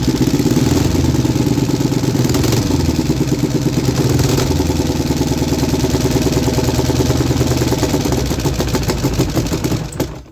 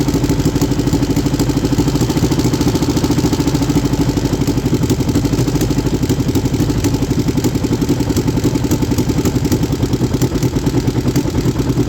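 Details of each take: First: 3D-printed inline two-cylinder four-stroke engine, after the PCV valve fix and carb sync: small twin fires in an even, lumpy beat and picks up cleanly with throttle before shutting off; normal running and revving. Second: 3D-printed inline two-cylinder four-stroke engine in later testing: fast, clattery chuff that isn't quite even; misfire on cylinder 1.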